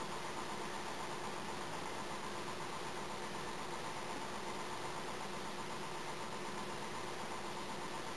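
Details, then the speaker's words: Electric air compressor charging with a steady, even hum and rattle, shutoff raised to 120 psi, rated for 125; valve clunks, charging continues then stops; normal charging. "that's five over what this shutoff Point used to be so you can hear the valve go clunky and then it keeps charging and stops"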